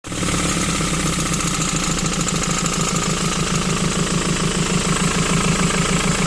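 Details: 2008 Ford Transit Mk7 2.4 Puma diesel at idle with a rough, regular knock about three times a second. First suspected engine or A/C compressor; the cause was a bad crankshaft pulley, likely ruined by a bad alternator pulley.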